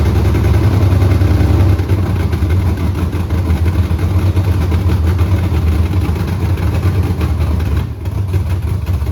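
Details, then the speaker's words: 6.0L V8 with 4L80E swapped into a Pontiac Tempest, carbureted, first start, straight headers with no mufflers: loud deep lumpy uneven idle running super rich; owner suspects false O2 sensor readings from the open headers. "okay it's running like super rich it doesn't know what to do because um the O2 sensor I got we got straight headers right now"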